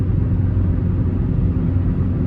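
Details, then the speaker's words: Toyota Camry near 400,000 miles, driving on rough road after a new wheel bearing, axle and alignment: cabin hears only even low road rumble with no growl or hum rising with speed. "I just want to take a moment to appreciate how much quieter the car rides now with this new wheel bearing."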